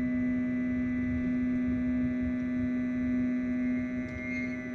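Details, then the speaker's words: Flashforge Dreamer 3D printer, print bed homing down its dry guide rods: a steady, even squeal over the motor hum; squeaking from unlubricated guide rods, to be fixed with the supplied grease. "that squeaking? Yeah. So hopefully some grease will solve that."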